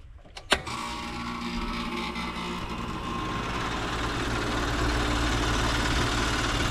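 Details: Old condenser that wasn't running on a call for cooling: sharp click as the contactor pulls in, then steady even fan and compressor hum that settles and holds; unit running normally.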